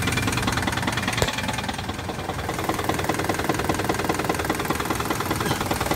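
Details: 2006 Jeep Grand Cherokee idling with a steady knock about two to three per second. Codes C0700, P0307 and P2097 were received; the knock source is not pinned down.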